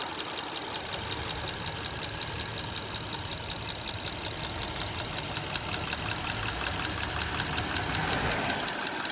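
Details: 2005 Honda Odyssey idling steadily with a light, even ticking about 160 a minute from the engine top end; cause not yet clear.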